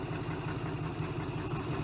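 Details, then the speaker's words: 1971 Chrysler eight-door airport car after epoxy repair of a cracked block, started with no coolant: steady, even low rumble at idle with no knocks or misses; runs well. "Fart up. Oh, runs good. Wow, that went much better than expected."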